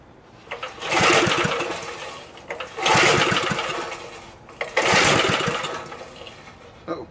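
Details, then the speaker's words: Small Briggs & Stratton engine, previously locked up, catches in rough bursts about every two seconds with sharp pops; backfiring, later traced to a sheared flywheel key throwing timing off, checked after cooling down. "I think with it backfiring we need to take the cover back off and check the flywheel and see if it got out of time so we'll let everything cool off a little bit"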